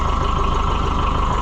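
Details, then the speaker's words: Oliver 550 tractor diesel on its test run after the injection pump was reinstalled: steady, even low idle with a regular firing beat, no knocks or misses; runs sweet, normal idle. "Boy, it's runs sweet. I just can't get over that. I think what I'm going to do, let's let it sit here and just enjoy life a minute and then I can listen to that sweet sound"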